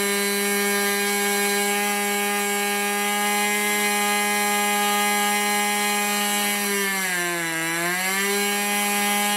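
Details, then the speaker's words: 1980s Irvine 40 MkII ABC glow engine with twin-needle carb, 10x6 prop, 7% nitro and 20% oil fuel, on its first run: a high, buzzy steady note sags and briefly recovers. It is running rich and the needle needs leaning. "he's just running a little bit rich or a lot richer I'm just gonna take that needle in a bit"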